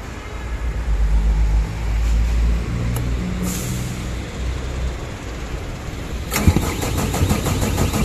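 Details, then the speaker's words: Sullair 260 air compressor that would not start, start solenoid reportedly burned three times, open ignition-supply fuse found: irregular chugging then fast rough cranking that never fires; cranks but won't start, cause not confirmed. "y hemos intentado hacer el arranque y efectivamente no arranca nuestro compresor"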